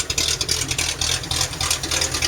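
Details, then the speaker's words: Jeep started after 3 months, flooded with water, dead battery, no cam, owner suspects a sticking fuel injector: idle hunts and stumbles in uneven hissy bursts, never settling, clears up with throttle; stuttering idle, cause unknown. "The overall look right now, I'm not sure why it's so choppy. There's no cam, so I don't. Maybe the something is sticking or something. I think it's a fuel injector is sticking."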